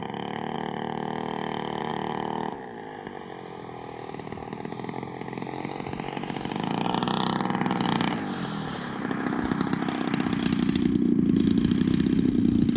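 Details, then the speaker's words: Giant-scale RC warbird (Robart P-47) engine, first flights of the season in cool air, heard in flight: note wanders and surges unevenly, never holding steady pitch; running rough, suspected high-end needle open too much, needs tuning. "Boy, that engine's just not behaving. Yeah. Nothing good about it. Nothing. Yeah, I think that high end's open too much."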